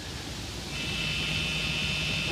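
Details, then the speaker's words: 3-axis brushless gimbal (RCTimer ASP, SimpleBGC 2.40b8, Sony NEX-5N) held in hand with derivative gain set high (about 18): thin, steady high-pitched buzz over a low hum, derivative oscillation. "vibrations um and that's uh that's symptomatic of of derivative oscillation right there so we're going to bring that down till it goes away"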